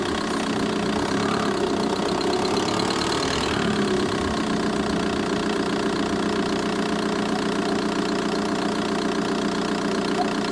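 Steady diesel idle with a light, fairly even tick riding on top, about two per second, coming from the engine bay. Cause suspected, not confirmed.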